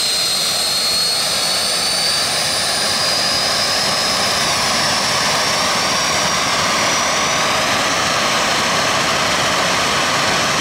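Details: Jet turbine truck, first start-up after winter, after cleaning a dirt-clogged fuel filter and adjusting the fuel pump: loud steady jet roar with high whine creeping up in pitch; smooth, runs better than ever.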